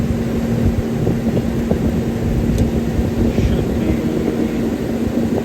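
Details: CaptiveAire kitchen hood exhaust fan just after motor replacement, drawing 3.5 amps: steady even low hum with constant whoosh of air, no knocking or squealing; normal exhaust fan running.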